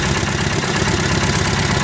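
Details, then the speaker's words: Nissan K21 engine with a replaced ignition coil: rough, lumpy idle with an uneven exhaust beat and one cylinder dropping out. Cranking sounded low on compression, so a relative compression test is planned. Misfire from a low-compression cylinder. "so the ignition coil has been replaced that's obviously has a run in it but you heard it cranking it sounds like we're low on compression"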